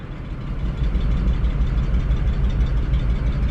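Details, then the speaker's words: Station wagon idling in gear with a low, lumpy idle and an uneven thump about three times a second; engine still missing, owner suspects the fourth cylinder, and the check engine light is flashing for misfire. "guys hear that that's the obvious sign that we are still missing"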